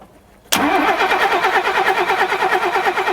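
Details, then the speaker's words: Mercedes 280 SE rally car revived after long lay-up, fresh fuel flushed through: cranking for compression test on each cylinder, even steady beat about three pulses a second, no uneven strokes; compression sounds healthy. "Okay, I'm just going to do a compression test on each cylinder. This will show the health of the engine."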